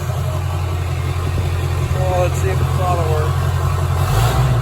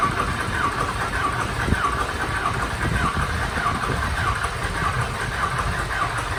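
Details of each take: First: Diesel mud truck running after sitting since February, following a fire; it previously knocked, missed and ran about 300 degrees coolant temp: deep, even idle with no knock or miss, slight rise near the end; normal smooth idle. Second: Diesel mud truck not started since February, after a fire, cranked: slow starter churn with regular chirps about every 0.6 seconds drags on without catching; extended cranking before start.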